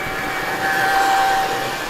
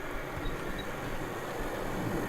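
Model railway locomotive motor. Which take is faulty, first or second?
first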